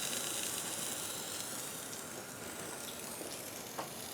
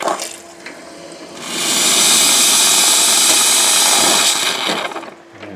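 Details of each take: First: Grindmaster two-group espresso machine under rebuild: a steady sharp hiss with faint crackle as steam leaks from a line fitting, which needs repair. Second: Grindmaster two-group espresso machine after rebuild with replaced clogged parts and a fixed pressure gauge: a strong, steady hiss of steam from the wand that holds for a few seconds, with good steam and hot water.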